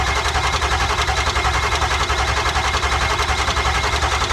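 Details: Ford F250 7.3 Powerstroke diesel after failed injector replacement, on jump box: starter churns about 160 compressions a minute but engine never fires; cranks, no start, cranking speed thought too slow.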